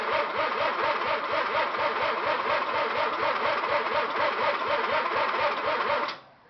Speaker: okay well this is me trying to start my eighty-four rx-7 GSL I see I have no idea what's wrong there's no spark